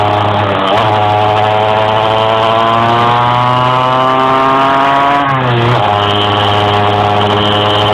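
Engine note climbs only slowly while driving, then sags and wavers around five seconds before picking up; it is struggling to rev.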